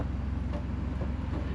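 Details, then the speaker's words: Jeep driven after clutch removal, bearing replacement and other repairs: only a low, steady road rumble and wind, with no bearing whine or clunk from the driveline. The noise heard before the repair is now gone. "so I guess we'll be hitting the trails again very soon and it's silent before you could hear it but"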